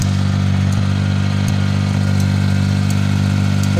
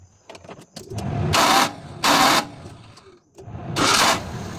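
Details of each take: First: Suzuki mini pickup after a clogged fuel supply was cleared as a temporary fix: the small petrol engine holds a steady, even idle with light regular ticks and no stumbling; runs smoothly now. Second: Suzuki mini pickup that stalls and starts hard, running premium petrol with air in the fuel line: short cranking bursts with pauses, engine never catches. Fuel delivery fault; the fuel pump socket was removed and wired directly.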